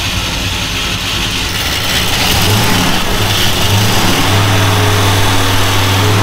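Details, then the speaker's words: Dodge Coronet V8 after repairs using parts-car components: deep, lumpy burble that picks up cleanly as the throttle opens, no stumble or misfire, pulling strong. Normal running and revving. "that's how she was supposed to run she's a fire breathing dragon now"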